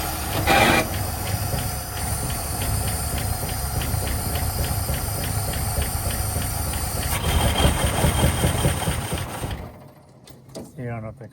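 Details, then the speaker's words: 1959 Cadillac flattop sat for years, first start attempt, fluids good, battery charged, tank full: fires and runs roughly a few seconds with loose uneven beat, then dies; unsure carburetor bowl is full, fuel supply suspected. "All right, she's running. She ran for a second."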